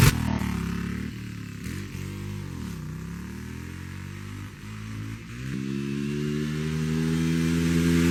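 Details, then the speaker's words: 1989 Honda VTF250 Interceptor 249cc V-twin, first start after long storage with new plugs, new fuel tank and battery: revs up and sags unevenly for a few seconds before settling; carb needs going through, suspected fuel-starved, gummed-up carb. "We need to go through that carb, but she does run."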